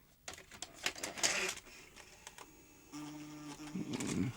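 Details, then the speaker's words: Circa-1980 JVC HR-7700E / Ferguson 3V23 VHS recorder with chain-driven front-loading carriage, on eject: clicks and clunks, then the loading motor hums about a second as the carriage labours; worn rollers slipping on the cassette. "That worked, but it was a little bit slippy on these rollers."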